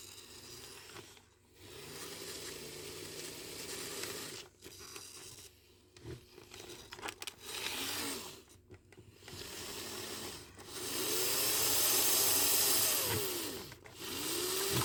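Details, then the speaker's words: Kato N scale Alco RS-2 locomotive after lubrication: tiny motor whirs up and down in pitch as it speeds and slows, earlier squeal gone; runs smoothly now. "so that sounds a lot better I'm going to do a little bit more lubrication on it but I'm thinking that this will do pretty well"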